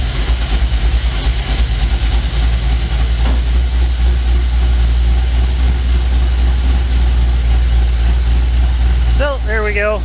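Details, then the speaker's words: 1967 Mercury F-250 3/4-ton V8 drag truck idling with vacuum advance disconnected, timing about 9 degrees (1 degree over): deep, steady, even lope with no misses, knocks or ticks; runs good. "And now, of course, when I hook up the vacuum advance again, she'll be right on the money, but pretty happy. Runs good."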